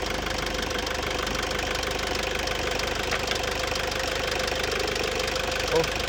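Engine catches and settles into a steady, even idle with a constant low beat and no stumbling; starts and runs normally.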